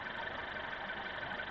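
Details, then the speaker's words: Honda Civic 1.5T turbo petrol, after throttle body cleaning, with suspected injector fault and earlier misfire counts: idles with a steady, even hum, no misfire; long- and short-term fuel trims now around 0.9, judged normal. "长短期来修正都干到0.9几了，非常正常，非常正常，也不缺火。非常的旺盛了。"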